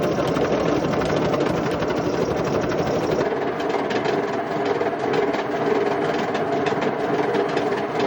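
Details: Indesit IWC71453 washing machine, still working, with loud harsh rumbling, grinding and constant rough knocking during the drum run; extremely worn drum bearings.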